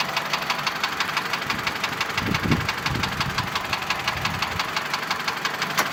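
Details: Mitsubishi Lancer X 2.0 (4B11) knocks constantly at idle, cold and hot: a sharp, regular tick about three per second above a steady idle. The ringing knock disappears with the air conditioning on, returns when it is off, and partly fades at higher rpm. Cause unknown.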